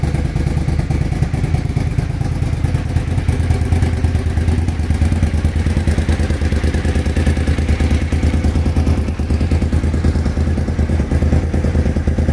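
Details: Suzuki TL1000R after fixing an idle misfire: deep, loping V-twin idle with even firing pulses and no skips or stumbles; sounds healthy.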